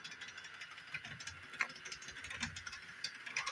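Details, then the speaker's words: Repaired Bachmann Doodlebug model motor car, formerly dead, running slow at full speed on 18-inch radius track; light uneven clicks over faint motor whir like a gear tooth skipping; owner suspects the 18-inch curve, unconfirmed. "The middle one, the center one's 18 radius. Maybe it doesn't like that. Maybe that's why it's clicking so much. Or giving me so much trouble."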